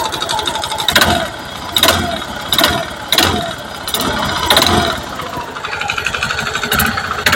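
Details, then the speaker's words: Honda Beat FI K44 second-generation scooter engine on throttle blips: rough, clattery rattle on each rev over idle that follows rpm, ruled not to be the CVT; piston slap, mechanic diagnoses a faulty piston. "langsung vonisi ya Mas langsung tak vonis Mas puny jenengan piston bermasalah langsung tak vonis aja ya Mas"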